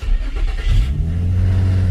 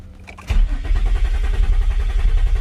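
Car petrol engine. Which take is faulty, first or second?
second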